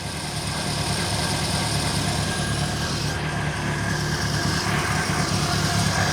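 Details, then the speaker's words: Reliant Fox small petrol engine after fixing the long-troublesome exhaust downpipe joint: normal idle, even steady low burble with no puffing or ticking from the manifold joint, smooth and sound. "smooth that's the choke this one's the throttle oh wow sam you have never sounded that good because uh to be honest i've had issues with that downpipe joint since i first got back on the road"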